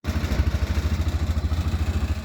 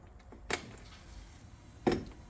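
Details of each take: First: Massimo T-Boss 550 UTV at idle: heavy buzzing throb with loose bed sides and middle bed panel rattling in time with engine pulses, varying by rpm; heat shield removal planned. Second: Massimo T-Boss 550 side-by-side UTV after the aluminum heat shield was removed and foam padding added under the all-metal bed: cranks, catches and settles into a steady, deep idle with no metallic bed rattle.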